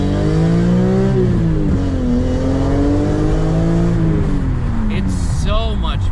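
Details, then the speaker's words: BMW S54 engine after the dual Section 1 exhaust mod replacing BMW's unequal-length pipes: clean rising and falling revs with a smooth exhaust tone, no rasp, brief tire chirp. Before, it sounded like a bad Honda; now it sounds good. "better holy it's it sounded like a bad honda before and now it sounds good why bmw you're you're brilliant but you do funny stuff sometimes"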